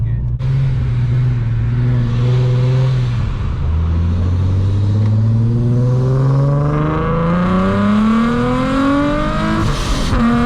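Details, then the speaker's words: Nissan 370Z with a newly installed Soho supercharger kit: hard pull with a smooth climbing tone, no belt squeal or slip; normal supercharger boost under acceleration. "gave me gooseball I haven't heard that in two years"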